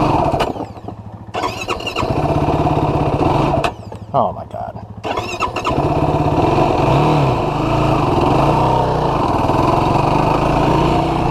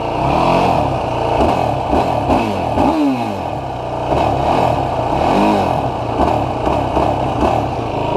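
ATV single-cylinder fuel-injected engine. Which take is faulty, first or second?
first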